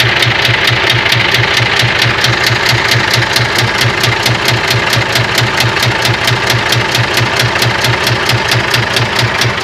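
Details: Scania 124 diesel engine: steady, sharp knock at about one and a half per second over a rough idle, a clear mechanical knock of unknown origin.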